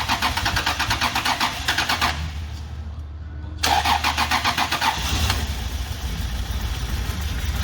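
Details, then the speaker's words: 2000 Toyota Prado 3.4L V6 cranks, catches and idles very roughly, missing on probably two cylinders. A timing belt kit and ignition amplifiers had been fitted without fixing it; the cause was no control of ignition coil 1. "so it does run but very very poorly it's missing on one or two probably two the way it's running"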